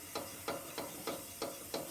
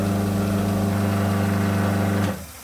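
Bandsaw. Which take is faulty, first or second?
first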